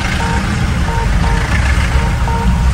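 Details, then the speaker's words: Mahindra Thar diesel, 1,000 km, just after first service, in traffic jam: short high beeps about every two-thirds of a second over low diesel rumble with dash warning symbol that later cleared; owner suspects blocked filter, not confirmed. "और अभी देखो यहाँ पर एक पता नहीं कुछ beep हो रहा है, टीट टीट टीट टीट कर रहा है, एंड यहाँ पर सिंबल दिखा रहा है।"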